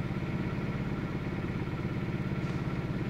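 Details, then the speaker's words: 2000 Toyota Celica GT 1.8L in Drive under load; uneven, lumpy beat with regular stumbles about three a second; cylinders 2 and 3 misfiring from a dead and a weak ignition coil (P0302/P0300). "see number two and three are misfiring at the moment now so that's this is one method to find your potential misfire on cylinders 1 through four pretty much put it to put it under load"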